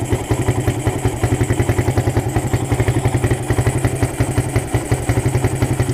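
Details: Suzuki Satria FU with a PWL/PE28 28 mm carburettor, just cleaned and re-jetted (main and pilot jets changed) to cure hesitation when throttled; starts on first press, steady even single-cylinder idle with no stumbling while the air screw is being set; normal idle.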